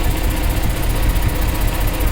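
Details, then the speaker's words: Mercedes C63 AMG V8 idling after cat removal: deep idle with a faint quick regular ticking pop; exhaust leak at the shop's weld. "the back back sounds nice exactly how it's supposed to sound but the area where he welded you can hear that little pop-up bro it's freaking leaking"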